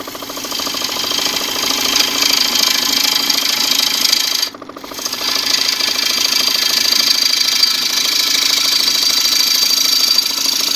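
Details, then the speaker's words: Wood lathe at about 800 rpm, warped twice-turned bowl remounted in jumbo jaws, refining shape: fast rhythmic clunky clatter under hissy scrape as the gouge hits and leaves the out-of-round rim; interrupted cut. "oh there we go you can hear it kind of clunky in a way in there"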